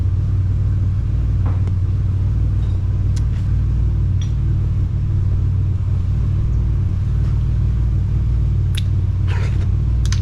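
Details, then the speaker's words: 2004 Ford Explorer revived after long sitting, engine cool, good oil pressure: deep, steady, heavy idle rumble with almost no treble; no exhaust system fitted. "I forgot this thing's got no exhaust on it so it's not as loud as I think but still pretty loud"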